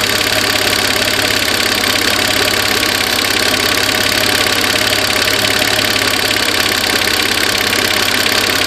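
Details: Peugeot 406 3.0 V6 (ES9J4) petrol at idle on a damp evening: sharp fast tick, a noisy fuel injector, loudest on the steel injector clamp end.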